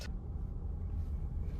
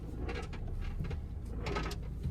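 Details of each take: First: 2022 Kia Sorento driving after removing batteries that had slipped between heating vent and carpet into floor pocket: only soft steady road rumble, rolling noise inside cabin gone. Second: 2022 Kia Sorento, driver's side, rocking back and forth on the throttle; irregular hollow rumbling bursts like loose objects rolling, suspected acorns or screws loose inside the rocker panel.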